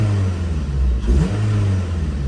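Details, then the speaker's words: Acura RSX Type-S with stock exhaust, revved once after a cold start: a deep, steady rumble with one quick clean blip that settles back evenly. Normal revving, healthy engine. "as you guys can see stock exhaust still has a little nice Rumble uh let's give a little bit of Reds let's see maybe we can hear it"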